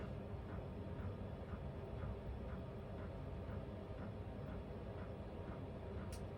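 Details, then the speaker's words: Vevor diesel heater in an uninsulated camper, on low fan with the electric room fan off: soft steady hum with a faint pump tick about twice a second; normal running, quieter than the high setting. "let's play with the settings a little bit on the diesel heater, because right now the diesel heater's low fan. It's pretty nice. It's very relaxing to listen to, whereas when it was on high, it had some decibels."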